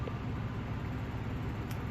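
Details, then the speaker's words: 1956 Emerson 77648-SO desk fan on medium speed after a cord replacement: steady motor hum and even airflow with a high-pitched motor whine the owner is unsure is normal; no knocks, scrapes or rattles. Normal running on medium speed. "It's a very interesting noise that the motor is making too, that high-pitched whine. I kind of like it."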